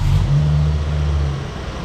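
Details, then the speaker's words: Ford Focus ST barn find at its first start after fuel priming, with compression on all cylinders. A lumpy, stumbling low idle right after start is a misfire. Old bad fuel in the injector rail (no return system) is suspected, and it begins to clear. "Oh, it was misfiring. Oh, there it is. That could be just fuel. Yeah. Okay. Bad fuel in the injector rail."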